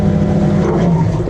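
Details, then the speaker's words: Jabsco Quiet Flush marine toilet on a boat, after replacing the water-inlet solenoid (toilet wouldn't fill): steady low pump hum with water rushing in, smooth with no strain or rattle; normal flush after repair. "Look at that water. Look at that water come flowing in here. Isn't that beautiful?"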